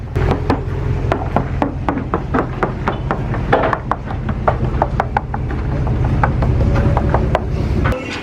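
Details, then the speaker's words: Hull knock test on a Midnight Express high-performance, double-stepped center console yacht. Crisp, sharp knocks ring short and firm with no dull thuds. The fiberglass hull is solid, with no soft spots, cracks or problems found. "So you knock on the hull and try to find like soft spots all the way through it, but it's solid. This boat's, there's no problems with it."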